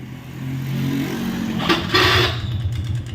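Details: Honda Wave 110i (2017–2018, K03 engine), loud exhaust: starts with white smoke and loud harsh clatter when revved; owner ran it dry of oil and the piston seized, suspected scored piston causing piston slap.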